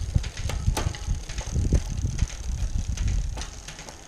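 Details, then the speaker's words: Bicycle rear derailleur after indexing by quarter-turn barrel adjustments, chain run up and down the cassette with crisp single clicks, shifting cleanly across all cogs. "so we'll take it all the way up the block and that down yep shifting quite nicely all the way up and right now"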